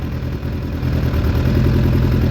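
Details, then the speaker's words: Suzuki Bandit 600 under crash repair, first run after oil and filter change on a jumper box; low lumpy, slightly uneven idle sputtering now and then, owner doesn't think headers are blowing, cause not yet found. "I don't think it is. It's just a wee bit spluttery. I don't know why that is."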